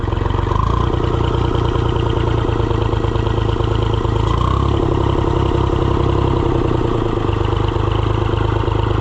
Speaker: Will it run after sitting for a good while? Sweetheart fires right up.